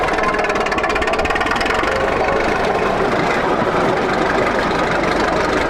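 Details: 1941 Caterpillar dozer that sat for years, started via pony motor: old diesel ticking over at low idle with even, regular clatter and no misses or knocks. Pushing the lever forward shuts it down, so it only idles. Normal idle.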